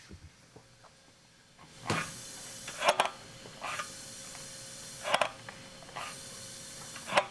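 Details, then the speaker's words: 632 cubic inch big-block Chevy, 15:1 compression, 8500 rpm build, leak test without spark plugs and with rocker arms installed: pulsing breathy hiss as air passes ring end gaps and out open valves, intake and exhaust; normal leakage. "So you would actually have to take all the rocker arms off this, put all the spark plugs in it to get it to seal up because it's just leaking past the rings up through the intake manifold, out through the exhaust, out through anywhere."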